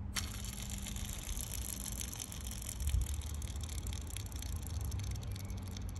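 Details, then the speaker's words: Mercedes C63 AMG M156 engine off, belt off, idler pulley spun by hand: quiet dry rattle and gritty patter; pulley sounds rough, cause not confirmed. "don't like the sound of that one either"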